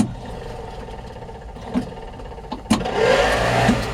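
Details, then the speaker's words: 1955 Ford F-100 short bed with an original V8 (believed 256), three-speed column shift and push-button start: with the key on, a few clicks, a thump, then a steady airy whoosh as the old heater fan blows dust out; the blower works normally. "yep I need the fan work woo blowing some dust out here so yep the old fan works which is awesome"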